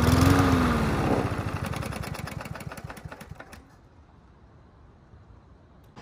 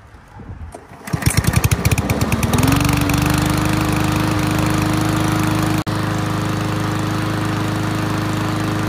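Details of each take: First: Yard Machines MTD push mower running with air box and filter removed; ragged uneven sputtering firing as it winds down and dies; owner suspected fuel starvation, actual cause loose spark plug wire giving intermittent spark. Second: Yard Machines MTD push mower after reseating loose spark plug wire; catches after a few pulls, smooth steady drone with brief load dips; running properly, earlier heavy smoking has stopped.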